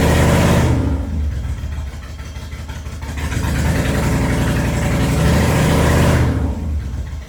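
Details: Toyota Cressida with swapped 1UZ V8, started after new spark plugs (all plugs equally fuel-fouled, spark issue doubted); lumpy uneven low throb at idle, won't rev cleanly, feels like it's running on one side, serious misfire.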